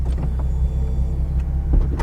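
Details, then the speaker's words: 2006 Nissan 350Z convertible top opening while the engine idles steadily: a few soft clicks as the mechanism cycles, nothing binding or grinding; top works normally and quickly. "alright now let's pop this top real quick this is one of my favorite things to do in this car I love the way this top opens up man it's like a transformer"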